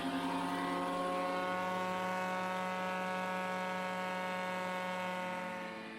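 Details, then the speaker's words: Early-1950s Asplundh wood chipper with 120 hp 1954 Ford engine, clutch just engaged: steady even drone of the drum spinning up, no knocks or scraping; normal drum rotation. "Okay, the clutch was just engaged and you can hear the drum rolling."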